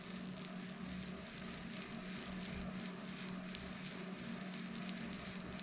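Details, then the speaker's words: Brand-new Shimano SpeedMaster 16 II saltwater reel, straight from the box, cranked backward after teardown: quiet, gritty, dry scratchy gear mesh over a low hum. The sound fades as grease moves around, so suspected lack of grease causes the gear scratching. "So it already feels like as that grease gets moved around, it's reducing that sound."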